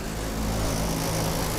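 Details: 30-ton AAON rooftop A/C unit, restarted after batteries were put in to signal the control module while awaiting a part: steady, even low drone and constant hum, no knocks, surges or dropouts — running normally.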